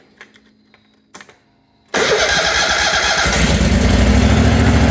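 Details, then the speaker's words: John Deere QuikTrak 652R stander mower just after starter replacement, turning over better: engine catches at once and settles into an even, steady run with no stumbling or misses; normal start. "oh that sounds a whole lot better it's alive"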